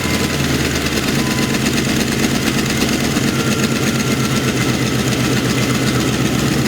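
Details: Internally stock LT1 V8, about 70-80k, with Hooker long-tube headers and an EGR code: steady idle with a fast light tick on every firing pulse from the driver's side; owner suspected knock.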